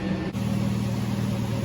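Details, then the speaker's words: 2006 Toyota 4Runner that would not start when hot, after repairing the wiring loom to the faulty park/neutral range switch: it starts and warms up at a smooth, even, steady idle. The engine is running healthy. "okay the truck's running I'm letting it heat up"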